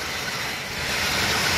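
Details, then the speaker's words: 1986 Chevy K30 with Turbo 400 and stock quiet exhaust, cold start after sitting: steady slightly raised V8 idle with even hiss, no misses or knocks; normal cold-start fast idle. "Idle probably seems kind of high, but again, it's a cold start."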